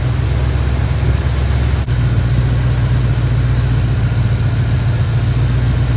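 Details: Barn-find Chevy square body truck with a 350 V8 and automatic, after a tune-up and timing work: a steady, even idle with a smooth low burble and no misses or knocks. Running decent.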